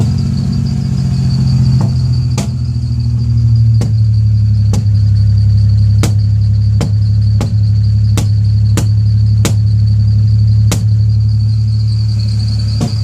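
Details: 1998 Ford Ranger 3.0: a rough idle with sharp, irregular pops about every second over the engine rumble, backfiring at startup and misfiring badly; the cause is not yet found.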